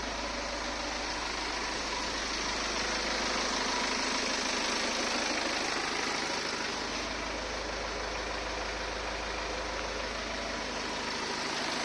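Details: 2015 BMW 520d, 140 kW B47 diesel, 220,000 km, oil serviced every 30,000 km, at idle; even idle with a steady, regular light clatter about three times a second; owner suspects timing chain noise, unconfirmed.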